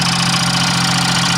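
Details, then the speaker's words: 1992 Geo Metro small petrol engine idling with a steady low drone and a faint repetitive knock, smoking from spray applied to the exhaust; timing is correct, and it is the third Metro engine with this knock. "all right as you can hear the engine is knocking and smoking that's from the uh stuff I trayed on the exhaust to Loos in the bolt but"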